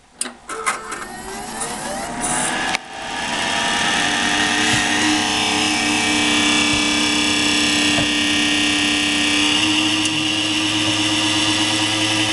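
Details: PowerSpec computer with a Corsair CX750M 750 W power supply at cold start: after a few clicks, a loud harsh rasping drone with a high whine that stops once Windows loads; the same happened with two previous power supplies, cause unknown.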